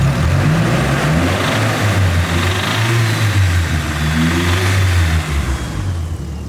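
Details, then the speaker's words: Nissan S15 Silvia with a 190,000 km SR20 engine, bearing failed, suspected oil starvation: revving above about 3000 rpm brings a rough, uneven rapping under the rising engine note. Rod knock. "And unfortunately, that is Rodnock."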